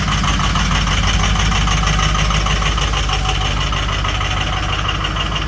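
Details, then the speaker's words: Started at 6 a.m. in 12-degree weather after 2 hours on the block heater, oil 56 and coolant 60 degrees, reluctant to start; loud, heavy idle with lumpy, uneven clatter, owner surprised it's so rough and expects it to clear. Rough cold idle. "So I had the block heater in for the last 2 hours. We're up to 56 degrees on the oil and 60 on the coolant. So I'm actually surprised she sounds so rough."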